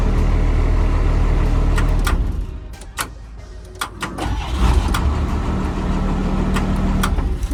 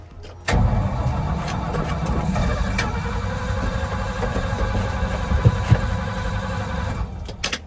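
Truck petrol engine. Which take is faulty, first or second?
second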